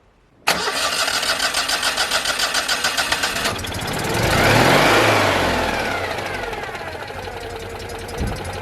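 Starter cranks briefly, then the engine catches cleanly, rises to a quick rev and settles into an even idle.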